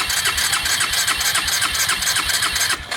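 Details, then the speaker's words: Suzuki Ozark 250 quad stored seven years under a deck, no-start with the CDI suspected, cranking once freed from seizure: strong, even starter whir with steady compression pulses, about four per second; cranks normally. "that sounds fine"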